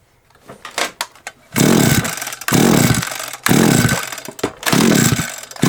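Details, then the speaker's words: SGS Engineering 26cc strimmer, plug refitted and switch on with good spark: hard pull-cord bursts each give a brief weak cough, but it never catches or keeps running; owner suspects a wiring issue. "good coughs it's got spark but then it won't cough"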